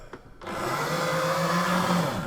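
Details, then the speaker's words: Sega Action GT video driver toy car: after a short stutter, a loud harsh buzzing whir holds steady as the small motor sticks and jams repeatedly through a bad pinion gear. "And now it's stuck. Oh, that sounds well, doesn't it? Ah, it's stuck again."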